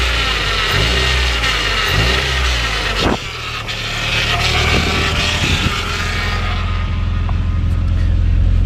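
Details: Honda Prelude with freshly rebuilt F20B (86mm bore, K20A Type R pistons, stock rods, polished crank) on first run: engine revs up and drops back smoothly several times, no knocks or rattles; no smoke, healthy.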